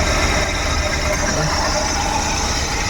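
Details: Suzuki Every Wagon (DA64W) kei van with strong engine vibration, worse with the AC on, and a noisy tensioner bearing: a rough, uneven low thumping idle; misfire.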